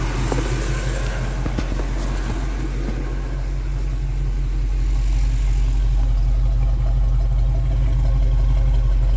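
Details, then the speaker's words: V8 car after advancing ignition timing that had been set by ear, heard at the exhaust: deep even burble with a steady low beat and no misses, smoother than before; normal idle. "alright guys i got the timing advanced and as you can tell she sounds much smoother"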